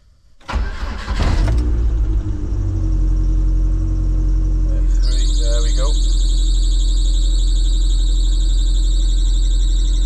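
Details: Lotus Elise at engine start, intermittent fault: cranks and catches, then a steady piercing squeal rides over the idle; loose auxiliary drive belt slipping, later fixed by tightening with the correct bolt.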